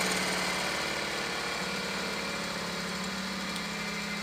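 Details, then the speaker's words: Half-horsepower single-phase 3600 rpm electric motor spinning down after switch-off: the steady hum fades and slowly drops in pitch with no grinding or knocking; the long spin-down suggests the bearings turn freely. "it's taken forever to spin down so that's another good sign"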